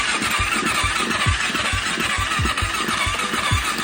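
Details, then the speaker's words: KFX400 no-start: starter cranks in quick even bursts on a jump box but never catches; compression test shows only 45 PSI with zero valve clearance on both valves, low compression from tight intake valves. "compression test showing us 45 PSI that seems low we've got zero clearance on that one zero clearance on that one"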